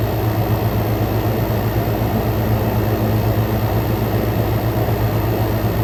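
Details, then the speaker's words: Frigidaire Gallery GHWQ103WC1 10,000 BTU inverter window air conditioner, compressor at full power, back to ambient intake, 44° out: steady low hum under constant fan rush, no knocks or rattles; blowing ice cold, suction line sweaty; normal running at full load. "y compressor is at full power got now we're back to ambient going in we got 40 44 coming out this thing is this thing is kicking butt today"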